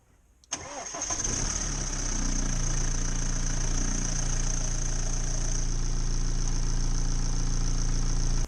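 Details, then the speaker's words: BMW 318d E91 with 2.0 N47 diesel, just after an oil and filter change with about 6 L of 5W30: starter whirr, then the engine catches and settles into a steady, even low idle, a normal start-up noise. "hear the noise that was normal at start-up"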